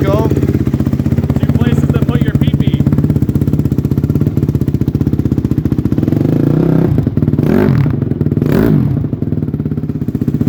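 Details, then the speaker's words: 2006 Honda CRF250R four-stroke after valve work, started very cold with slow kicks: crisp, even single-cylinder firing holding steady through a couple of blips, no knocks or ticking; runs healthy. "we'll do a couple slow kicks for the game sounds pretty good to me"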